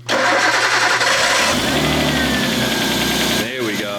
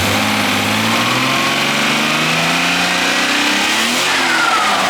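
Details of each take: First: RB25DET swapped into a Nissan R33, freshly filled with coolant, warming toward operating temp: catches and settles to fast idle with light uneven head ticking, quieter than yesterday; lifters expected to bleed down with rpm and load. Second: RB25DET swapped into a Nissan R33: engine blips up and settles back cleanly, revs rising and falling smoothly with no chatter or belt noise; runs healthy, random misfire still unresolved.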